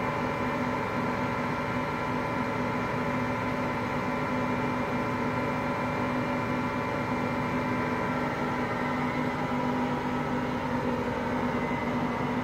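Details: Hotpoint Aqualtis washing machine with a steady coarse rumble and droning hum during spin; its drum bearings have just started to fail.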